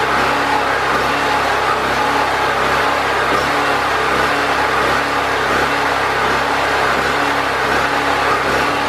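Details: Predator 4000 generator after fuel and carburetor troubleshooting, with air box and air filter reinstalled and still on old oil: a steady, unwavering hum at constant speed with no surging or hunting. It runs consistently.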